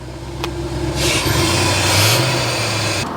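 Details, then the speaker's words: 1991 Corvette C4 ZR-1 V8 barn find, after fitting 16 new injectors, warming up: steady even burble at about 1500 rpm with brief hiss, running on all eight cylinders; normal raised idle. "anyone asking that was about 1500 RPM that sounds absolutely"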